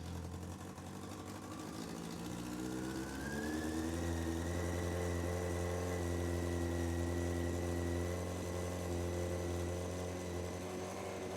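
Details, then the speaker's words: Honda CBR600F4i at first fire-up after reconnecting the bank angle sensor in the headlight loom: rough, lumpy idle holding high; owner suspects an exhaust/air leak at the cylinder one manifold, possibly poorly fitted or wrong size, driving the revs up. "So, it does sound really rough and it is idling pretty high."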